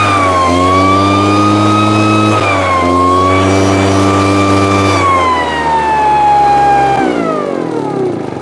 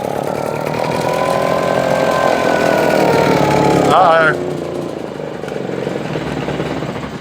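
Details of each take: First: Husqvarna 150 BT backpack blower, after a no-start and bogging from a customer's wrong tank grommet and misrouted fuel lines, now with a correct grommet and properly routed lines: high two-stroke buzz climbs cleanly to full revs and falls smoothly without bogging. Running properly. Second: Husqvarna 150 BT backpack blower, air filter good, primed with 50:1 mix into the intake: catches and revs on the primed fuel then dies within seconds, proving spark and compression fine; a fuel-supply issue, later traced to wrongly routed lines and wrong tank grommet.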